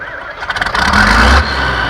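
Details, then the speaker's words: Farmall Super C with a large added turbo: quick cranking bursts fire into a rising rev with a rising whistle as the turbo winds up, then it settles. "it's got a gigantic turbo up in there so when you heard me start at Nathan out of the Camry"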